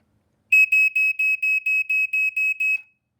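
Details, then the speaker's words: Black & Decker SMK30 silencer smoke alarm, made 1986, on test: shrill high horn in ten quick even pulses, about two per second, stops cleanly; normal. "this does sound very similar to the m1 but um because it is the same horn essentially however it does the slower coating that the m3s were known for doing so they don't sound like this they actually sound like this"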